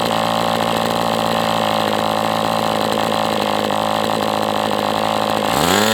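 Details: MDS 68 FS Pro engine during break-in at operating temperature, still tight: crisp even high buzz without misses or sag, pitch swoops with throttle changes near the end; running well, better than with the idle bar plug.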